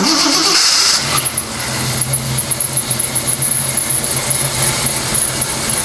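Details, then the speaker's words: 1979 AMC Spirit AMX, 304 V8, first start after fitting a new starter following months of sitting: brief crank, catches, settles into fast idle with a thin high chirp over it; a squeak, likely a belt, still to be dealt with. "now that it's actually running again and i clearly still have a squeak which i'll deal with in a moment"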